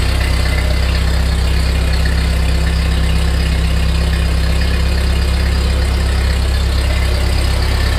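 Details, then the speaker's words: 1948 Ford 8N tractor, first start after complete engine rebuild, neutral, choke, slight throttle: even steady low idle, smooth regular beat, no knocks or misses; oil pressure gauge pegged, foot throttle works, normal idle. "foot throttle works well excellent oil pressure heck it's got the G gauge Peg that idle that ain't bad so far so good proof that it runs"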